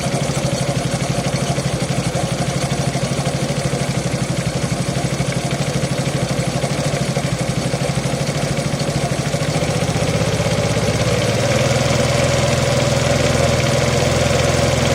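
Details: Suzuki Access 125 cc scooter, daily first cold start: loose rattly clatter pulsing about three per second, also noisy at 30–40 km/h; mechanic suspects timing chain, owner doubts it, unconfirmed.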